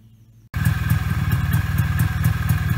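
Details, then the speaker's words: 1991 Polaris Trail Boss 250 two-stroke ATV, 28 years stored, after brake bleeding, on a test drive; even quiet throb, steady rhythm, no rattles, quietest 250 heard in a while; normal running. "going pretty good and it's pretty quiet this is the quietest uh 250 I've heard in a [Laughter] while yeah nice and quiet"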